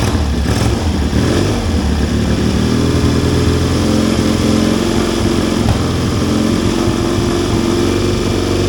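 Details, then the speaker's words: 1970 Triumph T100C twin revived, first kick-start on one choke down, cold: steady, loud idle with even low thump and no knocks or misses; needs to warm up before it'll run properly. "It needs to warm up before it'll run. That's all right, I can do that."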